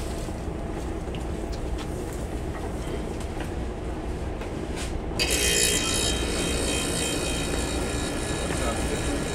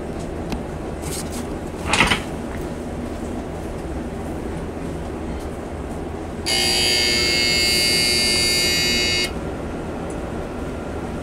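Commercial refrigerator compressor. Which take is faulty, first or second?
second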